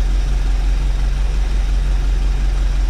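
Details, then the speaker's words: 1984 Chevy Champion motorhome V8, revived after years unused, running on refilled carb bowl: low even idle with steady beat, no misses or knocks; oil pressure present, valve train quieted, still running normally. "blowing me away it's still running at this point"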